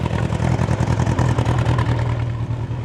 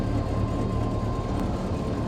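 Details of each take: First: Bombardier Bombi with Holley Sniper 1100 fuel injection, after exhaust manifold crack fix, still in open loop, throttle raised slightly above idle: engine pulses unevenly about three beats a second instead of smoothing. Rough loping; cause unconfirmed, owner considering replacing coil; engine later stalls. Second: Bombardier Bombi with Holley Sniper 1100 fuel injection replacing carburetor, 60 psi fuel pump, just after exhaust manifold crack/leak fix, first start, no throttle: steady, even low rumble, no ticking or puffing from manifold. Normal idle, much quieter now.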